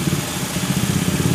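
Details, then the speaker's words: Honda Vario 110 carburetor scooter being checked for lost ignition: the engine keeps a steady, even idle with no misses while the yellow and white spool wires are unplugged. Normal idle. "Kabel warna kuning sama putih kita cabut. Mesin masih hidup, ya kan?"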